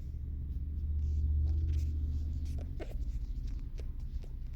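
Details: 2011 Infiniti G37x AWD, 84,000 miles, engine warm, in drive or reverse at idle below about 700 rpm (also in park/neutral near 500 rpm): subtle metallic rattle with light irregular ticks, gone with throttle; failed OEM clip let washer reservoir neck rattle against inner fender.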